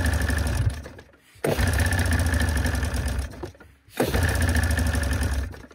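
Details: 1987 Arctic Cat Cougar 500 snowmobile with a Suzuki two-stroke, long sitting, gas poured into the carbs: it catches in ragged bursts, then sags and nearly dies whenever throttle comes on. It won't take throttle.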